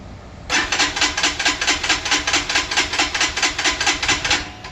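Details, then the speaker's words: Freshly assembled fuel-injected Lifan KPR 200 motorcycle with fuel just added and the fuel pump heard: the starter spins with even chuffs about twice a second for four seconds and never catches; crank no start, cause unknown. "no fuel when I got it of course so let's see what it will do nothing well it's fuel-injected so there's no reason to choke it let's try it again"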